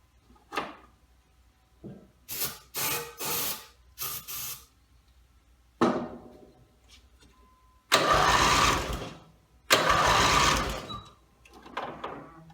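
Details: Rebuilt Briggs & Stratton mower (carb rebuilt and filling, timing dots aligned, valves seated, compression unknown) gives several short pull-start bursts that die away without firing; gas later leaked from the muffler bottom, and the owner suspects a fuel-delivery problem.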